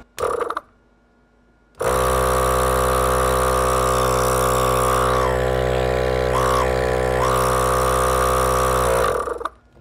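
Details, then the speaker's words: ARB air compressor on a Jeep, 2015 date code, about 8 years of hard use, after teardown and reassembly, run on a charged battery in a no-load bench test: steady even motor hum with quick pump pulses, no knocking or grinding, sounds good. "we're just doing a little little no load test to see how fast it actually spins and what it sounds like that sounds pretty good"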